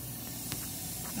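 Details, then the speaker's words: Walk-in cooler freezing product, not pumping down: with the cover off, a faint steady hiss over a low hum as refrigerant leaks past the electronic expansion valve that should be shut; fixed by replacing the EXV actuator. "we're popping this cover off i can hear it leaking by"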